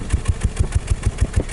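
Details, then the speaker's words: 2014 Nissan X-Trail T32, recorded at muffler tailpipe at idle: hard regular miss about six times a second, dead cylinder causing rough idle, power loss and vibration with no check engine light; traced to failed ignition coil. "let me show you exactly how it sounds so definitely have a dead miss or in"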